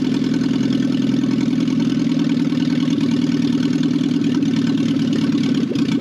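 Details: Barn-find 1968 BMW 1800 being revived after sitting: steady, even idle with a constant low tone and no knocks or misses; runs smoothly.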